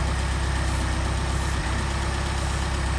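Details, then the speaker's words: Mercedes 190SL with Solex carburetors, not run in a long time, idling at about 800–875 rpm instead of around 600: steady, slightly fast idle with a faint hiss; carb-cleaner spray shows air leaking through the throttle shaft, O-rings planned. "How about over here? A lot of leakage through that throttle shaft. I'll see if I can put some O-rings on there."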